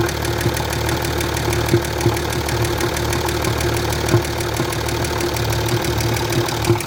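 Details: Land Rover Discovery 3 2.7 TDV6 diesel, hot engine at idle: sharp irregular knocks, about one or two a second, over steady diesel clatter.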